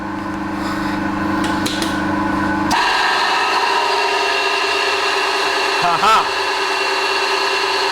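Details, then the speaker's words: Home combination vertical/horizontal milling machine, noisy horizontal spindle, lapel mic close: motor starts with steady whine and rough gravelly rumble; gearbox ruled out, front motor bearing collapsed or about to collapse. "there's your problem. I've got a bearing gone. I would say I bet my balls that that front bearing has collapsed, okay, or it's about to collapse."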